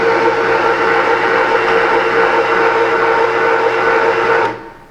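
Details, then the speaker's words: Fabio Leonardi MR0 tomato milling machine with SP5 attachment and 1/2 hp motor, running normally with a steady, even motor whir and constant hum, no knocking or labouring as it winds down, milling dry skins and seeds on a third pass. "So the machine itself, wonderful machine. I can't feed it fast enough, that's how fast this machine is. And the reason for that is, this is a 1/2 horsepower motor."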